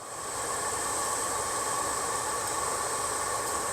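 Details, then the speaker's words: 1963 Ford Falcon Futura heater blower motor after removing packed debris and spraying WD-40: smooth, even hiss of moving air, no rubbing, ticking or grinding; blower motor runs nice and quiet and is good. "so our blower motor is good she's nice and quiet now we do have a good blower motor"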